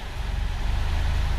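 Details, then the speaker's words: 2004/05 Honda Fit CVT at 196,000 km, after flywheel seal replacement: even, low idle rumble shifting into D and S with no rattle, knock or clunk; previously it shook and made noise even in neutral; normal CVT engagement after repair. "Não ouvimos nenhum barulho. Show de bola. Colocando S. Todas as marchas para frente, né? Consegue. Não sente nada."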